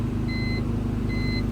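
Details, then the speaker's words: 2002 BMW 325xi that wouldn't start after an accident, now running after reconnecting the disconnected positive battery wire: steady low idle rumble with two short chimes, no stumbling or misfire; normal idle after starting. "that's about it and now my car starts clutching and for some reason my Stinky's getting stuck there we go there we go car started"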